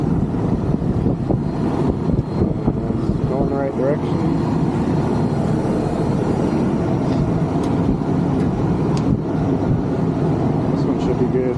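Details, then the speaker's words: Condenser of a 1986 Rheem AC (about 37 years old) that was barely blowing air, running: steady fan whoosh over low compressor hum, even, no rattles or scraping; normal running. "I would say I can't believe it's running but I can"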